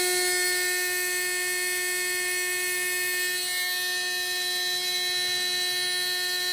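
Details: Readytosky 1804 brushless quadcopter motor on a vibration test after calibration: holds a steady high whine with a rough, buzzy edge. Bad bearing shaking the motor; magnets reportedly come loose from vibration.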